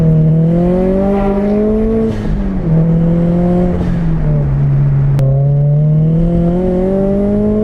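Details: Turbo Scion FRS (86 platform flat engine) on test drive after diagnosing power loss and changing spark plugs: engine note climbs smoothly through the gears, clean rising drone, no stumble, pulling strongly; AFR and fuel trims correct, missing power restored, normal acceleration.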